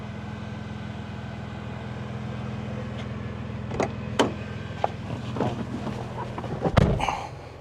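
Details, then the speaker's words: 1998 Toyota Tacoma SR5 with TRD supercharger, first run after sitting over 5 years, with a new clutch; steady, even idle with a constant low hum and a few handling clicks, running smoothly with nothing wrong heard. "Oh, come on. It's alive! Yes. All right. Throw these back in the Super Taco. Things are running. They don't seem too bad."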